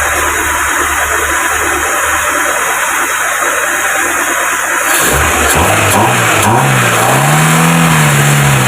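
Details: Proton Wira after throttle body cleaning, fixing low idle, stalling and no power: steady even idle, then smooth revs climbing and settling without stumbling; healthy idle and revving.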